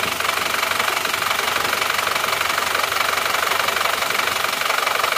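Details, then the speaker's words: Isuzu Panther pickup diesel before repair, cold at 47°C, oil level dropping: harsh clattery idle with rough knock about three times a second, smoke from dipstick and oil filler; pure compression blow-by from worn, stuck piston rings. "mesin belum panas kalau mesin belum panas sudah mengeluarkan asap berarti itu murni asap kebuturan kompresi"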